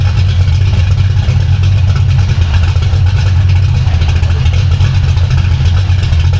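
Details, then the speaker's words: V8 car with a B451 cam and new Spintech mufflers (replacing Jones) with turndowns, after repairing driveshaft damage to its mufflers and H-pipe; not yet warmed up. Deep, steady exhaust rumble with a slight lope, no ticking or misfire. Normal idle. "uh shouldn't have that as much depth much base so hopefully this sounds real raspy"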